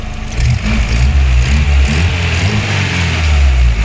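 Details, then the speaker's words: Chevrolet Aveo 1.5 8-valve after cylinder head gasket repair, fully warmed, hydraulic lifters bled, oil changed: even, smooth revving, no knock, rattle or misfire; healthy running. "Тут у нас уже все моркоче, нічого не пихкає, не траїть."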